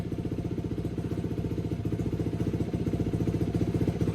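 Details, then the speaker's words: 2004 Yamaha YFZ450 race quad, restored after sitting a while, started right up: even single-cylinder thump creeping slowly upward, no knocking or clatter; runs healthy. "Other than that, sounds pretty healthy. I'm pretty happy. It started right up, so it's a really good plus. Sounds good. No knocks, no nothing."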